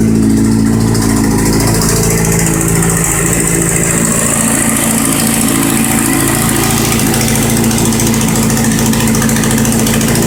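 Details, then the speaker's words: Kawasaki Z750 at cold idle: fast metallic ticking rattle over the engine, not engine knock but a chronic Z750 fault, a cracked plate at the exhaust header mouth buzzing. "aí que que realmente acontece é um probleminha no coletor entendeu galera o coletor que trinca na boca lá uma chapinha e fica fazendo um barulho feio tá ligado"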